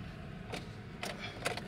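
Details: Nissan Grand Livina that won't crank: only sharp single clicks, about four in two seconds, and the engine never turns over. Faulty, sticking starter motor; to be tapped with a pipe.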